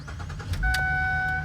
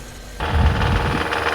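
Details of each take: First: Dealership car, with a previously dead battery and no check engine lights: a quick crank, then it catches and settles into a quiet, even idle under a loud door chime. Nothing out of the ordinary from the engine; normal start. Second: Engine knock while revving on a 2.0 naturally aspirated GDI engine, long-sat car with a dead battery: a steady knocking rides over the revs and slowly eases at idle; suspected rod bearing, engine suspected blown.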